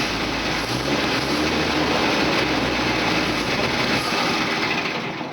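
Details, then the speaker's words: 1952 Dodge M37 3/4-ton 4x4 Army truck running on gas for the first time in 50 years; steady, even engine note at constant speed, no misses, knocks or rattles. "yeah well anyway it does run yeah yeah yeah and it sounds fine sounds like all yeah everything's running good"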